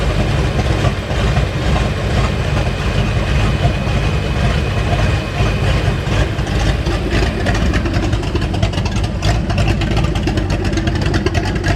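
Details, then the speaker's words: 1989 Mustang GT V8, revived after sitting over 10 years, with the fuel system still to be replaced: a deep, steady burble at idle with even beats and no knocks or misfires; oil pressure good, voltage still to be checked. "Oil pressure looks pretty good. Idle looks good. Gotta check on that voltage and we should be good."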